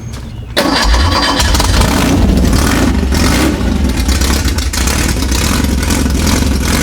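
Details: Newly built Type 4 VW/Porsche flat-four on a test stand, carburetor unused for 5 years. First cold fire: it catches instantly and runs strong, even and throaty with no knocks or misfires.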